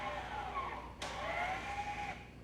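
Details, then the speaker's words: VW Tiguan electronic parking brake after both rear brakes were replaced, closed via the diagnostic tool with the ignition on. A short electric motor whir of about one second at steady, slightly rising pitch cuts off cleanly: normal closing; no DTCs afterwards. "So this is obviously going to close them now. And you can hear it working now."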